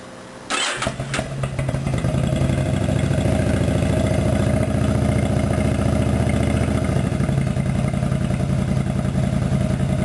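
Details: 2003 Yamaha V-Star 1100, about 29,000 miles, Hypercharger, rejetted carbs and baffles removed; fires quickly into a loud, lumpy but even V-twin beat around 210 per minute with open-pipe rasp, runs fine.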